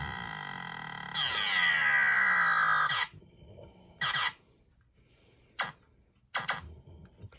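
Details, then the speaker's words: Williams System 6/7 pinball sound board, after replacing a dead 1408 DAC that made it half-play sounds, plays individually selected effects: a long sweeping tone then short bursts, each clean and complete; Black Knight and Pharaoh boards both good. "Those are the same 5 pins that did something on the Black Knight board also. So these two Black Knight and Pharaoh soundboards are good to go."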